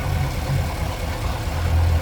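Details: 2015 Cadillac Escalade 6.2L with a new zero-mile engine, check engine light flashing: deep, uneven, lumpy idle with occasional stumbles. Code P0300, with the misfire traced to cylinder 8; a spark wiring fault is suspected.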